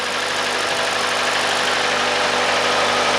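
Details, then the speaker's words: Hyundai/Kia 2.0 engine after timing chain job, restarted: smooth, steady idle with an even beat and no stumble or miss; runs cleanly on all cylinders. "Now let's start. That runs great. That's what I'm talking about."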